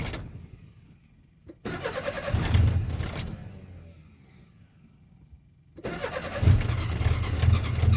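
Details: Nissan 720: starter churns in a slow, even rhythm for a couple of seconds, stops, then cranks again before catching; hard starting, reluctant engine.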